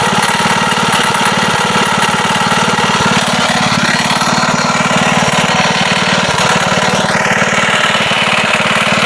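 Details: Wisconsin single-cylinder engine that sat a long time, at steady speed with a loud rapid chattering thump on every stroke; slight play felt in the rod at the crank, suspected rod knock; also leaks oil and fuel.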